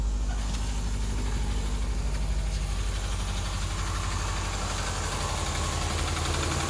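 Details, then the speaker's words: 2000 Subaru Outback, almost 200,000 miles, head gaskets replaced about a year ago and owner suspects they have blown again; at idle a faint quick ticking of about three per second rides over the rumble, valve tap from the top end, before additive treatment. "i also have that lovely valve tap which i'll demonstrate for you now"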